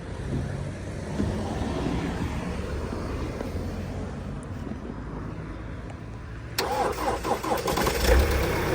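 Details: Salvaged Ford Transit Custom diesel van, unused for about a month, started with a jump pack: quiet background, then the engine catches abruptly and settles into a lumpy diesel run; started fine.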